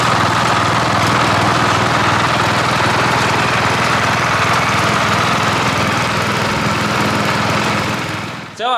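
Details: Cub Cadet 1015 32-inch mower deck after replacing double-pulley bearings with printed plastic spacers: even engine drone with steady blade whir at constant speed, no squeal or grinding from pulleys; deck running normally.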